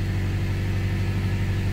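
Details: 2001 Toyota Tacoma 3RZ-FE, first start after head gasket job and timing recheck (previously spitting, sputtering and cutting out, cause unfound): steady even low idle, smooth unbroken rumble, no misses or knocking; sounds better, normal idle.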